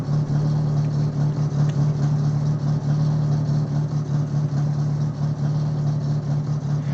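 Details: Summer car engine idling low and lumpy with an uneven beat about once a second under a steady drone; misfire persists after new spark plugs, radiator just replaced, owner suspects wrong timing from last rebuild and plans engine rebuild.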